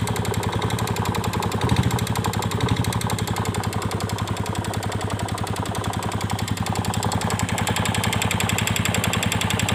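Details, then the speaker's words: Yamaha Vega Force fuel-injected motorcycle with a new valve cam chain and new piston: sharp, steady ticking, roughly four per second, over the idle, like cam chain chatter. Cause not yet found. Top-end ticking. "nah selalu bunyi kayak rantai klep Seperti apa suaranya Kita tes dulu"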